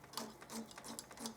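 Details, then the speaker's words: Harley-Davidson throttle cable pretensioner being collapsed during a handlebar grip change: short squeaky creaks about every third of a second as the adjuster turns; running dry, needs lubrication. "a bit dry actually you can hear that's dry can't you"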